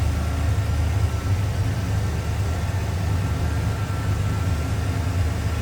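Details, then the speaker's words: 1983 Chevrolet Monte Carlo SS with a new battery, idling: deep, steady burble, even and unbroken, with no ticking or knocking. A healthy-sounding engine. "Nice, clean, tidy base, sounds good and looks good."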